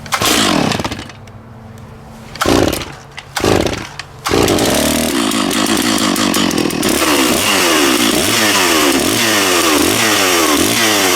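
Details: Stihl MS660 chainsaw after clutch repair, cutting a log, chain fairly sharp: a few pulls and bursts, then a high, steady two-stroke scream that dips and recovers with each cut; strong power, normal cutting.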